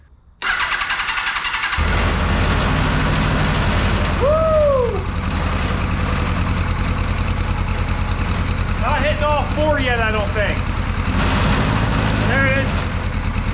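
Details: 1982 Kawasaki KZ1000 LTD carbureted, sitting 35 years, first start after fuel sent to carbs, cold: catches and runs with an uneven, lumpy beat, some firing pulses missing, like not all cylinders firing; cause not confirmed.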